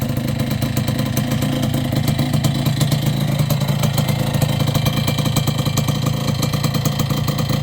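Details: Yamaha YB100 two-stroke idling after an exhaust replacement: crisp, fast, even popping with no rattles or misfires; a healthy idle.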